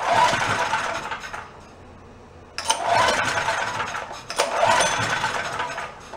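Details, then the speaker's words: Roadside-found Chinese knockoff mid-size generator, after carburetor work, running worse than before it was touched; owner wonders if the main jet screw wasn't turned down far enough. Small engine surges and sags in uneven bursts, nearly dying: rough running. "we ran better before we touched it"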